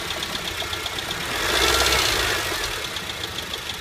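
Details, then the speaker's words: 2008 Honda Civic: a rapid, metallic knock about four per second, present from start-up, more noticeable with light revs and worst when dropping back to idle. Caused by a failing AC compressor bearing, which later seized and the compressor was replaced. "Light revs will make it more noticeable, then when I stop putting gas it gets horrible once it comes to idling RPMs this is the worst I have heard it"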